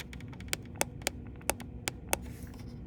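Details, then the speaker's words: Epson ET-3850 ink tanks: sharp, crisp clicks, about six in three seconds, when the C, M and Y tanks are pressed; the black tank is silent. The owner suspects a cartridge crack or air. "But if you actually click on C and M and Y, there's actually something that clicks them."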